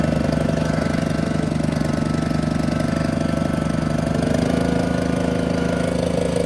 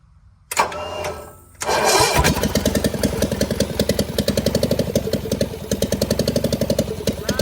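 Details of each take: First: John Deere 400 with Kohler K532 twin, unrun for about a decade, on a makeshift hood-mounted fuel tank after a bad governor; electric fuel pump not working, choke cable freed. A fairly steady, slightly uneven chug of about two pulses a second; the carburetor needs adjustment. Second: John Deere 400 with Kohler K532, unrun for about a decade and with a bad governor, first start on a makeshift fuel supply at full choke: it cranks, catches and settles into a steady, even chug of three to four beats a second, no knocking and no smoke. Runs normally.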